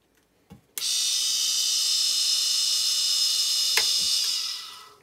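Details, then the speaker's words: Bait boat motor after main bearing replacement: smooth, even high-pitched whir holding steady about four seconds, then spinning down cleanly, much quieter than a motor with bad bearings; normal running. "massively different noise there you have it fully rebuilt lovely and quiet"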